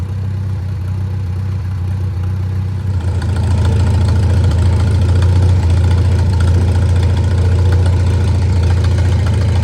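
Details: Old Farmall tractor after service, jump-started with an uncharged battery: engine settles into a steady, even low thump with no misses or knocks; running better than before, owner suspects worn spark plugs caused the earlier dying.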